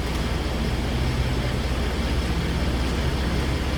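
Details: 2016 Ford F-150 3.5 V6 first runs after the correct starter was fitted to a supposedly dead engine; still burning off fluid smoke. Smooth, even revving with a steady low rumble and no ticks or knocks. Normal revving.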